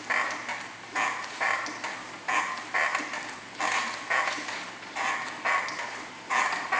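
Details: Squeaking from the pedals of a brand-new, properly assembled Yowza Fitness Largo elliptical, starting right away; a high, creaky squeak repeats with every pedal stroke, about once or twice a second. Pedals feel very stiff and the unit rocks side to side.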